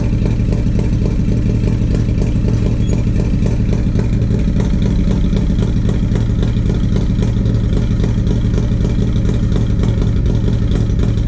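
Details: 1994 Harley-Davidson Road King (FLHR), 80" EVO with CV40 carb, Screamin Eagle air cleaner and 2:1 exhaust: V-twin lopes unevenly and stumbles, hesitates and misses at light throttle from a faulty carburetor, later fixed by a carb rebuild.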